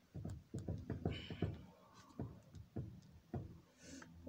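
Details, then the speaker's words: Citroën C6 front wheel rocked by hand: irregular dull clunks, about eight in four seconds, with disc and caliper moving, not the rim; also clunks when braking. Worn front lower suspension arm play. "Là, c'est pas la jante qui bouge, hein. Là, c'est carrément le disque et l'étrier et tout quoi."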